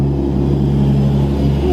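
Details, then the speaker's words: Toyota Supra at idle, run on E85, catch can recently emptied: smooth even low idle with a soft steady sucking hiss from the idle air control valve; normal idle. "God damn, she sounds good. That sucking noise is the idle air control valve filler."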